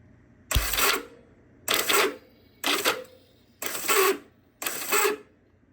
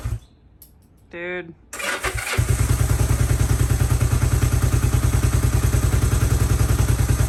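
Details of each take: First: Vintage Honda CB450 motorcycle in neutral: five short whirring bursts, starter spins freely but never turns the engine; starter clutch (springs, roller bearings) won't grab, junk, awaiting replacement parts. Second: 1972 Honda CB450 twin, unrestored, fresh SAE 10W-40 oil, in neutral with choke on, very low on gas: short pause then fires straight up into a quick, even idle about three pulses a second; normal start and idle.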